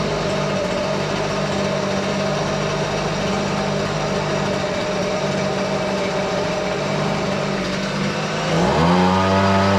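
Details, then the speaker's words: Husqvarna 125BV leaf blower after carburetor repair for not priming or starting: steady buzzing two-stroke drone, then a quick clean throttle-up; runs best in a long time, though it may need slight carburetor adjustment. "that's the best that blower has rain in um quite some time sounds like it could use a little bit of adjustment but I'm not too worried about it"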